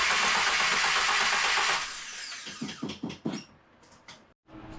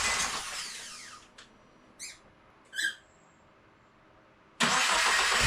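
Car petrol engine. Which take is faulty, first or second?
second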